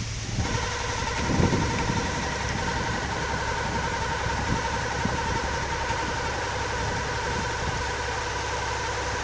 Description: What is this noise? only occuring on idle with clutch down.